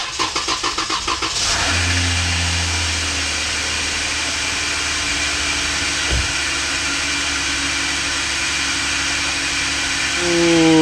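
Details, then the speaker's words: Used 3.6 Pentastar V6, just installed after a no-start with no compression in cylinder 1: cranks briefly, fires and settles into a smooth even idle with no ticking or knocking. "ready guys guess what you don't hear you don't hear a ticking or knocking or anything like that"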